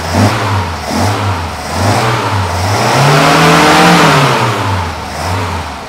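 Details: Mercedes 190SL with rebuilt carburetors, a new fuel pump, starter, ignition cables and spark plugs, not cold: crisp throttle blips climb and settle back smoothly with no misfire, pop or knock. The engine revs clean and healthy.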